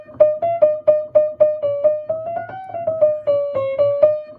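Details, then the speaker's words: 1935 Blüthner 5ft grand piano under restoration assessment: single notes in the main playing area sound muffled and dull with little bright ring, far too soft a tone from worn, soft hammer felt; the hammers should be replaced. "Well, listening to the tone in the main playing area, it's far too soft. I think we would like to change the hammers really."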